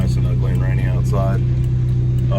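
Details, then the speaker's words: 2000 Honda Civic EX coupe, 5-speed VTEC D16Y8 with custom-chipped ECU, gently cruising the day after rod bearing replacement for a spun bearing: steady, even low drone with no knocking or tapping; no more noises, bearings being eased in; normal running. "car seems to be doing good no more noises everything seems okay"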